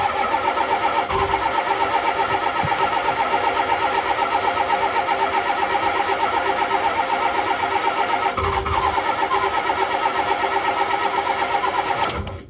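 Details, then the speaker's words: Diesel bus engine in cold weather: steady starter cranking at about four turns a second for over ten seconds with no firing; crank-no-start, glow plug controller suspected of not keeping the glow plugs hot during cranking. "I don't think this is working quite right so if I just keep cranking it'll never start if it's really cold"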